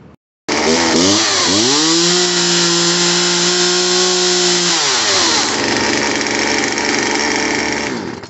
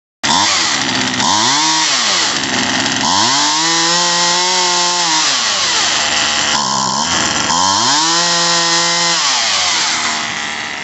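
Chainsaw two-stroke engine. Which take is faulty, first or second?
second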